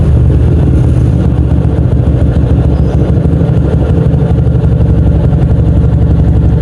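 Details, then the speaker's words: 2007 Yamaha Old Jupiter MX after tune-up: bored up to 57mm on a Vixion 1PA block, BRT T28 camshaft, BRT dual-band CDI, ported, 28mm exhaust header. Steady, even single-cylinder thump at 1000–1500 rpm idle with no knocks or misses; normal healthy idle. "kalau untuk RPM-nya sendiri berada di sekitar 1000 sampai 1500. Ini RPM ya."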